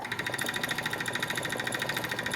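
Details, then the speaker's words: Wood lathe (10" x 18"), turning a wood blank just under 7" diameter x 4" wide: a thin, high squeak pulses about ten times a second over the steady hum. Owner suspects the tailstock or a wheel is squeaking. "oh it's still noisy but that yeah it's coming from in here somewhere I think like uh that wheel I think it's squeaking the uh tail stock I think it's making a squeaky noise this right here"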